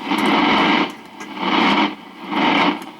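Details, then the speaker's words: Accutrak VPE-GN PRO ultrasonic detector at a wetted joint: crackling rather than static, hissing crackle swelling and fading about once a second as the probe passes; very small gas leak, water makes it clearer. "when there's a leak it's like a it's not static per se it's it's like a little bit of a crackling"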